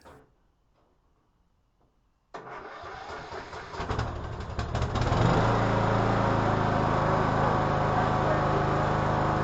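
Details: 2014 Troy-Bilt Bronco mower, Kohler 17 HP Command, new carburetor and adjusted throttle cable, after about an hour off: engine catches at once and settles into a steady idle that firms up; clean cold start.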